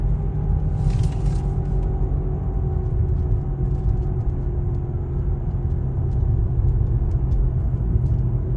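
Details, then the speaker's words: Car driven over street patches after suspension repair that fixed a metal-on-metal knock over potholes: steady low road rumble, no clunks or rattles; suspension quiet and normal. "Se escucha Bien, ahí está. Ahí quedó. Hay unos paches ahí y si pase se siente bien."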